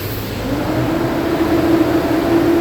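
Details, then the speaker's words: 2012 Nissan Pathfinder, about 85,000 miles, alternator recently replaced for a whistle; engine revved, a loud whooshing roar climbing in tone as the clutch fan engages; normal viscous clutch fan noise. "They can definitely hear it. It's pretty loud. I mean, that's normal. That's a clutch fan."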